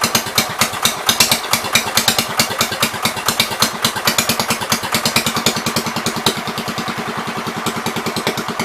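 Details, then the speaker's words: 1973 John Deere 110 single-cylinder after carburetor cleaning: lumpy, uneven popping at about eight beats a second, sounding rich. The owner says it now gets too much fuel, gas running straight through the carb, and suspects a hanging needle. "I gotta figure out what is going on with that carburetor, because it seems like the gas is running straight through it, which is opposite of what I had when I started"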